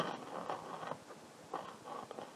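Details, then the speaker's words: Marshall 50W Plexi reissue amp: faint crackles and scratchy bursts over a quiet hum as the presence pot is turned; presence potentiometer still dirty and loosely mounted, while middle and treble are now quiet after cleaning. "let's listen to the potentiometer so the presence is still not good"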